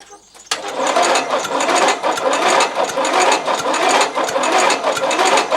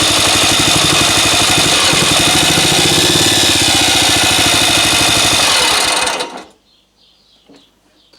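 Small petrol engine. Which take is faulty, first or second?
first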